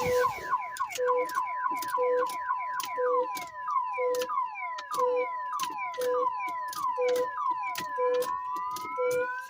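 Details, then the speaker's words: Long-abandoned Hemi Charger Daytona R/T, factory security system going off after a battery is connected: repeating rising whoops about once a second with a steady beep between them. The anti-theft alarm is triggered. "I want to know where that security system is that it's going to get old quick"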